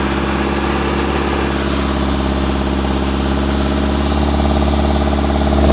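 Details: Hino truck diesel at idle: rough, uneven knock about three times a second over the steady drone, rising at the end. Abnormal engine noise.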